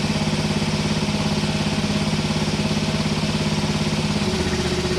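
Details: Hinowa tracked minidumper petrol engine after repair of a terrible noise, suspected at the engine-to-hydraulic-pump coupling, and re-welding of a leaking fitting: runs steady and even with a regular firing beat, settling slightly lower near the end; healthy.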